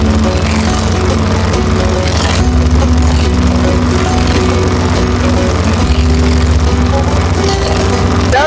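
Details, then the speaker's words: Lawn-Boy 10671 push mower with Tecumseh 5TPXS engine, warm, after carburetor cleaning (previously smoked and only ran on carb spray): steady low single-cylinder drone at even speed; running normally, slight vacuum leak on exhaust side. "there we go guys it's good he runs how about that finally saved"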